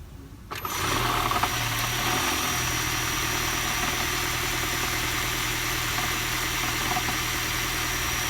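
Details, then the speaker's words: 2017 Honda Accord hybrid at idle: engine settles into an even idle with a faint hiss and light rhythmic ticking; owner unsure if from engine or battery charging, dealer called it normal, owner believes it is abnormal. "So I have to go to Honda dealer, and they told me it's normal, which I know it's not normal."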